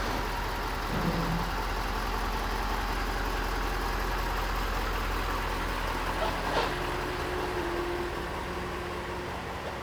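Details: 2021 Ford F250 6.7 diesel with an S&S CP4 disaster prevention kit, after its deliberately abrasive-damaged CP4 pump was replaced: settles into a steady, even idle with a smooth low rumble and no knocking or misfire. Normal idle.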